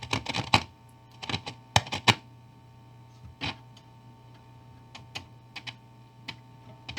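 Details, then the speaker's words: 1955 Magnatone 108 Varsity Deluxe amp: sharp, irregular crackles over a steady mains hum whenever parts near the preamp are touched. This points to a faulty preamp tube and an ungrounded filter capacitor. "uh so crackling when I touch any of these big crackle with this one"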